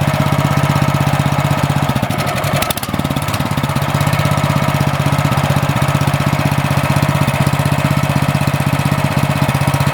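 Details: Cub Cadet snowblower on its new MTD carburetor (651p05995), fitted because it only ran on choke: single-cylinder engine at low throttle idle, about four firing beats a second, a brief dip, then steady. Normal idle.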